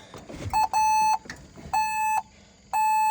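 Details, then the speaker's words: LS MR232 HST tractor with a no-start: repeated single high beeps about once a second, each about half a second long; parking brake warning sounding while attempting to start. "All right, parking brake's flashing, release parking brake."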